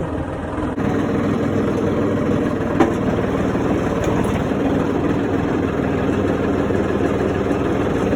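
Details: John Deere 4300 with backhoe after the seized parking brake was freed and a new spring fitted: steady, even diesel idle with a low, unbroken chug and no knocks or misses; normal idle.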